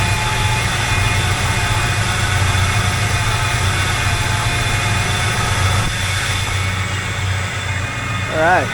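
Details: 1985 Chevrolet K20 carbureted V8 after swapping in a new Edelbrock 1906 AVS II carburetor and tuning it; now starts instantly instead of cranking long. Even, steady idle with smooth low rumble, no misses, stumbles or hunting: normal idle.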